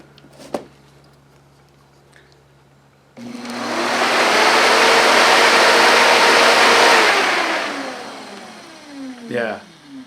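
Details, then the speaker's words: Replacement electric radiator fan for a 1968 Mustang, bench-tested on a table and powered directly: a steady, smooth whoosh spins up, holds an even pitch without wobble or rattle, then winds down. Almost no vibration, unlike the original fans. "yeah almost no vibration at all"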